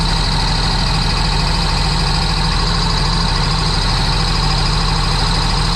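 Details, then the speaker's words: Supercharged 2009 Sea-Doo GTX 215 jet ski bought with a locked-up motor, run on the hose after revival: loud, lumpy engine with a stumble about twice a second. Cylinder 3 misfire from a cracked ignition coil. "All right. So, it runs, but as you guys can tell, I'm misfiring cylinder 3. Oh, well, I guess that was a bad coil."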